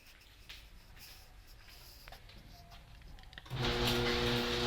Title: HD200D making a loud noises